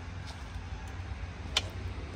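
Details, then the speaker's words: CF Moto 250 SR swingarm pivot giving a sharp click as the rear suspension moves; clicking from the swingarm pivot, which went away after the pivot nut was loosened. "evet tık ediyor bir daha bir daha böyle Kalk kalk Aha da bu ses Aha da bu ses"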